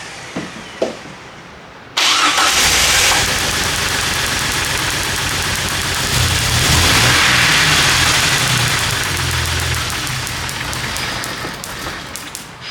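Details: 1998 Jeep Wrangler 4.0L inline-six that sputtered and died at a stoplight; cranks, catches and runs briefly, then revs sag unevenly and it dies; spark and injector signal present.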